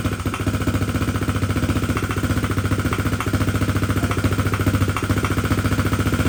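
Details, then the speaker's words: 2021 SSR 125 pit bike, single cylinder, new Lifan 125 cylinder head, idling a few minutes after idle screw adjustment: steady sharp tapping about three and a half beats a second; crankshaft suspected, but excessive valve clearance. "It does sound like it's knocking, doesn't it? It does. Fortunately, as you guys can see, that we got the bike started, but after it was idling for just a few minutes, we heard a knocking noise in the engine."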